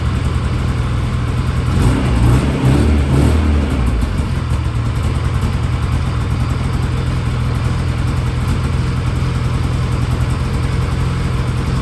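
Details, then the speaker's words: Polaris IQR600 race sled two-stroke on the stock exhaust can, not the Jaws can, run briefly because it leaks antifreeze: deep burble blips up around two seconds then settles to a steady, even idle; sounds healthy. "Now it doesn't have the Jaws can on it right now, unfortunately, but got the stock can, but it still doesn't sound bad."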